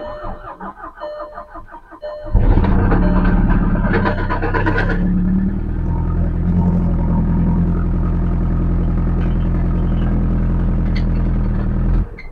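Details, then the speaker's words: 2008 Volkswagen GTI, first start after seized-engine repair with timing, oil pump and balance shafts replaced: cranks, catches and settles into a loud, raw, blatting run with a steady pulse; a whole piece of exhaust missing, exhaust leak. "well it started sounds like there might be a hole in the exhaust that's cool somewhere oh yeah oh just missing missing a whole piece of exhaust there that's fine"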